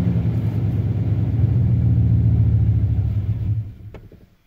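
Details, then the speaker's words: 2001 Dodge Ram 1500 with the 5.2 L V8, once warmed up: a steady, rough rumble sags and dies within a second of lifting off the gas, stalling instead of idling; the throttle body sensor and air control sensor were already replaced, and the fuel pump is suspected not to be the cause. "it just dies out and it's been doing that"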